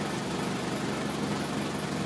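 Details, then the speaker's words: 2003 Toyota Corolla with intermittent P0301 and power loss, idling after swapping coil and spark plug from cylinder 1 to 3: uneven stumbling pulse, misfire still on cylinder 1; injector suspected next. "It didn't change at all. Still in number one. So what would be our next step?"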